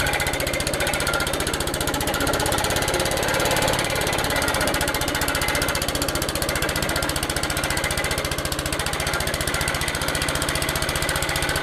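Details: Old Suffolk Punch 43S lawnmower, revived after being bought non-running, cutting grass: rapid, fairly even single-cylinder beat near 220 a minute, pulling steadily; normal running under load, later cut out from lack of fuel, carb clean probably needed.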